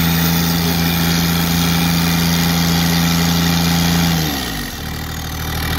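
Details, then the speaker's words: Kubota GR2110 diesel mower after a turbo install, with the turbo clocked and the wastegate actuator arm modified, heard while driving. Steady diesel drone with a clear constant whistle that drops away as revs fall; normal turbo spool. "You can hear the turbo spooling. It works pretty good."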